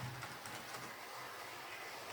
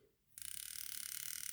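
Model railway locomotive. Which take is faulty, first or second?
second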